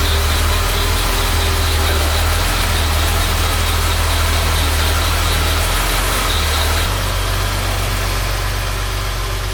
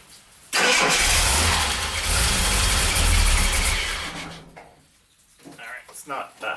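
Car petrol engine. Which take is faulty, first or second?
second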